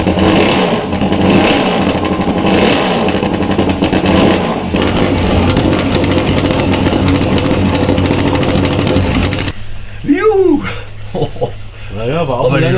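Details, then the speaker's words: Supercharged (Kompressor) Norton motorcycle, first start after a newly fitted supercharger and a fuel-pump ball valve found gummed up. An uneven, stumbling beat with irregular revs instead of a clean idle. Running rough; fuel is leaking; cause not confirmed. "nicht rund da müssen wir noch was machen aber sie läuft ja"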